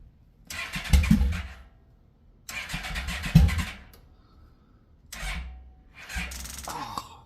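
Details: 1996 Yamaha Royal Star Classic 1300 motorcycle, back on the road after two years since a crash, with a bad kickstand kill switch bypassed. Three bursts of cranking, the first two about 1.5 s each, with brief coughs but no catch; hard cold start, just the choke.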